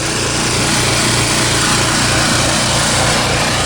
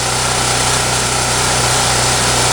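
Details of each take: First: Champion generator, 3–4 years old, over 1000 hours, sat months without fuel stabilizer: fast rough uneven idle, hunting and cycling; owner suspects gummed-up carburetor and old spark plug. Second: Champion generator, 3–4 years old with over 1,000 hours, ran rough after sitting months (carburetor suspected gummed up); after tune-up, running unloaded with an even, steady buzz, no hunting or surging, smooth.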